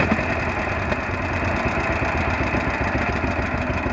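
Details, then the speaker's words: 1948 John Deere B two-cylinder converted to propane, enrichment valve set rich when cold and can be leaned as it heats: steady warm-idle putt with an even low beat, no misses or knocks; running fine, does not appear to burn oil. "when it's a little bit cold it still runs best but a little you know richer but as it heats up we can lean"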